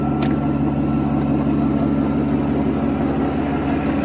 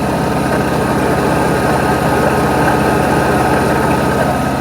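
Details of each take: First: 1992 Mercedes 600SEL V12 barn find, cold start with vacuum leaks and mismatched mass airflow sensors, loud water pump due for replacement: smooth even idle, soft steady hum, no misfire or knock; normal V12 idle. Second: 1992 Mercedes 600SEL V12 barn find, cold start, with vacuum leaks and mismatched mass airflow sensors: steady idle with a constant whirring hum from a loud water pump, due for replacement along with the fan clutch.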